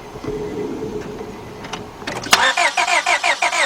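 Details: 2002 Honda Accord 2.3 cranks but won't start: even rhythmic starter churn about three beats a second, never catching; no injector pulse seen, suspected distributor, computer, blown fuse or injector power-side problem.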